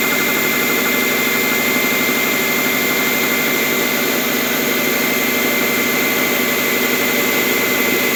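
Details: Subaru boxer engine, 82,000 miles, cold start at 57°F: loose, uneven knock about three a second over a hissy background, quieting as it warms and louder in colder weather; owner suspects piston slap, dealer called it harmless.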